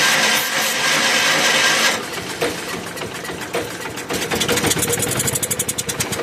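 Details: 1981 Allis-Chalmers 912 Hydro tractor, Kohler K301 engine, after new generic carburetor, rebuilt fuel pump and ignition work: steady chuffing crank around four strokes a second that never catches; won't fire though fuel reaches the bowl.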